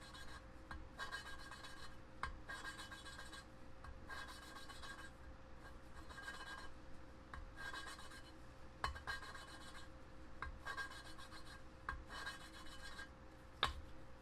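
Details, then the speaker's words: Mitsubishi 4G63T cylinder head rebuild, hand lapping a leaking intake valve: repeated gritty rasping strokes about once a second with quiet gaps; the initial cut, seat still not fully mated. "I can hear it, the way it sounds. It goes from a more grittier sound to a more finer sound, but the moment you realize that you're there already is when it sounds smooth all the way."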